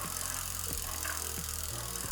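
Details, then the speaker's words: Bicycle wheel after new greased bearings, spinning before truing: a sharp tick or creak about every two-thirds of a second, once per wheel turn, over music. Owner suspects slack, low-tension spokes and a slight rightward untrue hit; cause not confirmed. "it has a slight hit to the right, so we're going to do that now as well, and then see if that did anything to the creaking noise."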